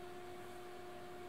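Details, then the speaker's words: Amiga 2500 after installing a Picasso II graphics card: quiet steady hum with two fixed tones and a soft airy rush from the noisy power supply fan, no rattle or grind; fan running normally. "you'll be able to hear in the background the sound of that lovely fan and the power supply the a 2500 the way there is quite noisy"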